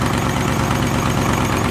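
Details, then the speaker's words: Turbo 5.0 V8 Ford Ranger on E85, factory programming, idling: busy rumble with a fast fine puffing tick, exhaust leak near the manifold; a vacuum leak is also noted. "Doesn't sound all rattly and screechy, and we do have a vacuum leak over here, though, that we need to get to, but other than that, I think it's doing great. Little exhaust leak too."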